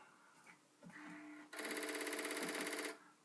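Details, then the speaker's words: Commodore 1541 disk drive: fast, fairly even buzzy chatter of the head stepping for over a second, then quiet; drive came up fine, head stepping normally. "so you can hear the head - doing its thing"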